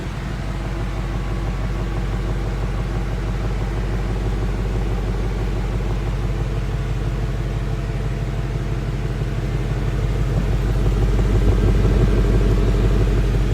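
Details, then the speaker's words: 2016 Ford Mustang Coyote V8 at operating temperature, 1,000 miles after oil change: deep, steady idle burble with an even pulse and no ticking or misses, slight rise near the end; smooth, quiet, healthy idle. "as you can hear it is a very smooth running motor nothing seems out of the ordinary"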